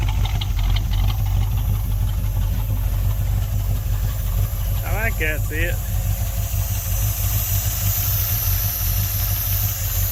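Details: 1972 Chevy C10 crate 350 V8 that had sat for 8+ years, first run with a new coil. Steady, even low rumble with a slight cam lope, no knocking or lifter tick and no smoke; a healthy normal idle.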